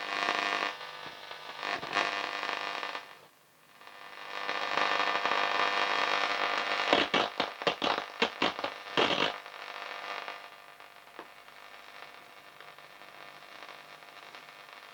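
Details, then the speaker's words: Bush A6001 music centre radio after turntable service: hiss and static rise and fall as the dial sweeps, with stations coming through; medium wave reception working. "Radio works. Well, medium wave does."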